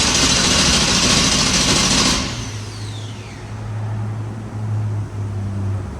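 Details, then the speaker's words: Truck with no-spark problem despite working cam and crank sensor signals, battery charged 30 minutes, tried on 16 volt: starter spins the engine in a fast, even churn about two seconds then quits without firing; crank no start, cause unconfirmed. "so we thought that we had it fixed with the uh the cam sink voltage ignorance obviously we lied to ourselves we got lucky"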